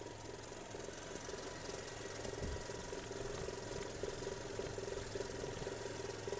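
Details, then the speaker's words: 2005 Audi A3 1.6 MPI petrol, 102 hp, 209k km, no dash errors: quiet, even idle with a soft steady hum, no stumbles, smoke, misfire or breather blow-by; the engine sounds healthy. "працює тихо рівно не димить не троїть не сапунить"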